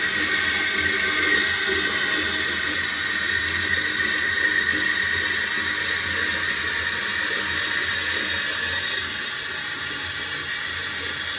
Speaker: The loudness on this thing is real. Kind of hurt my ears, actually. Surprisingly.